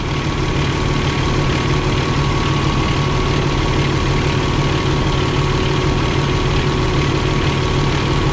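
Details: Truck with Eaton UltraShift, diesel idling: steady whirring drone from the air compressor building air pressure; noise stops when compressor cuts out. Compressor bearing checked fine; normal operation.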